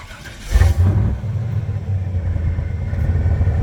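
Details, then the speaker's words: 2000 Chevrolet K3500, 7.4L 454 big-block gas V8, 147,000 miles, started via remote start after fuel pump kicks on: quick catch, then deep, even, mean growl settling into steady idle, no knocks or misses; healthy start. "nice mean growl it's got the uh big block 454"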